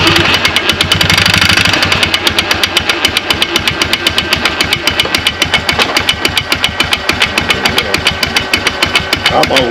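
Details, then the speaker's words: 2009 Polaris Sportsman 500 ATV, belt cover off: engine runs hard with quick even ticking, about three and a half a second, but the drive fails to pull. The driven clutch, rub blocks completely worn off, is slipping. "what it looked like was the outer pulley was jerking this inner pulley looked like it was just it was spinning and slipping"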